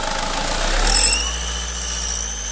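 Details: SsangYong Kyron diesel, vacuum lines rerouted with a tee removed, revved: thin high whistle climbs with revs then holds as a steady squeal while revs drop; turbo-area whistle, air or vacuum leak suspected, cause not found.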